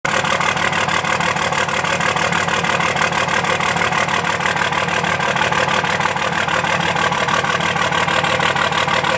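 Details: 2005 Dodge Cummins diesel at idle: clatter with a steady repeating lope about three times a second; one cylinder dead because an injector is not firing.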